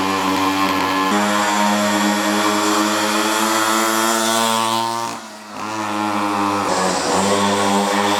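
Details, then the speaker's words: Cheap Chinese 50cc two-stroke pocket bike, just got running after choke direction changed: steady buzzy note holding revs, with a brief dip midway that recovers cleanly; running properly. "if this isn't one of the best spends of fifty bucks and I don't know what is"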